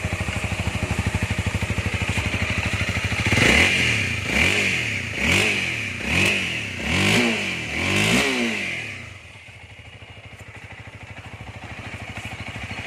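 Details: 2019 Honda Rebel 300 fuel-injected motorcycle, original, about one year of use: even idle, then five quick throttle blips rising and falling cleanly, settling back to steady idle; healthy engine revving normally.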